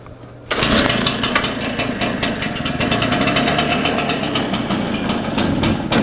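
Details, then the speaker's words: Shindaiwa EB802RT commercial backpack blower, dies on acceleration, started on choke and primer: crackles in ragged, irregular pops and never smooths out, barely wants to run; muffler exhaust feels clear, carburetion or carb gasket air leak suspected. "Let's do some more choke. Doesn't really want to run, does she?"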